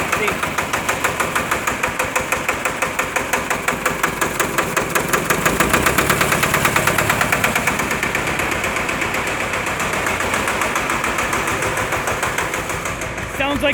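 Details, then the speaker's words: Onan 30kW generator with 4-cylinder Ford diesel, first start after bleeding air from injector pump: heavy, slightly uneven firing with a brief hiccup, sounds like lugging at low idle; owner unsure it is really lugging, cause unconfirmed. "so hopefully this time it runs oops hiccuped a little bit"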